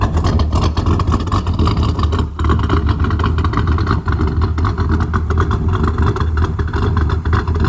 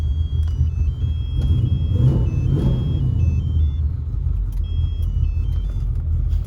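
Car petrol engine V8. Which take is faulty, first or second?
first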